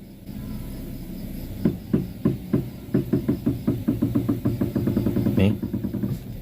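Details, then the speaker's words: Front wheel of an Avanza/Xenia-type car while the steering is turned; sharp regular "tek tek" knocks about two per second: worn inner tie rod joint. "itu bunyinya ya, Teman-teman. Bunyinya tek tek."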